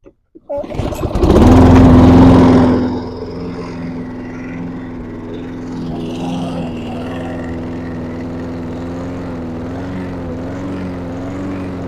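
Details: 2010 Troy-Bilt 21" self-propelled mower (6.75 hp, 190cc), flood-damaged, after the throttle tab was adjusted to raise rpm. The engine catches, surges briefly, then settles into a steady, even run with no misses or hunting: normal running.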